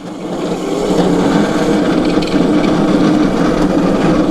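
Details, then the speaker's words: Crazy cart fitted with a Super Solid tire that has no side-to-side play, rolling past the microphone: a rough, uneven rattling buzz, with the hard solid tire shaking the whole cart. "it's so solid it shakes the whole goddamn cart bro"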